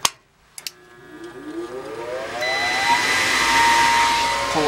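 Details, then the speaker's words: Gas furnace inducer motor after dirt was cleaned from the vacuum switch hose connection on a no-heat call: spins up with a rising whine over a couple of seconds, then settles into a steady, even hum. The inducer now runs normally. "That's the deal. Working now. A little bit of dirt in there, that's all it takes."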